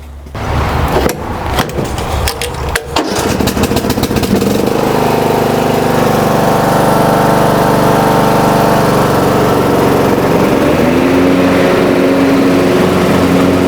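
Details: Riding mower after fixing a deck-engage cable that wasn't moving with the lever, so the belt now tightens: a few seconds of cranking and catching, then a steady, even drone with blades engaged; healthy.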